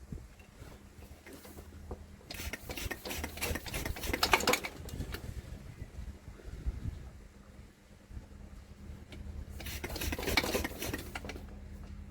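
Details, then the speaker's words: Douglas engine cranked with the choke on, plug caps removed and wires direct on the plugs, fuel put directly in the cylinders, oil pressure climbed: two bursts of fast, even churning with no firing. Good compression and spark, firing order right, but it won't start. "We have got good compression, good spark, fuel direct in the cylinders. and it's not doing anything."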